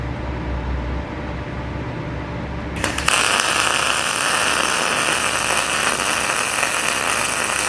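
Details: PrimeWeld MIG160Ts on 220 V, 0.030 solid wire with C25 gas on 1/8-inch steel, about 23 volts and about 395 on wire speed: after a click the arc settles into a steady, even frying sizzle without popping; settings well dialed in.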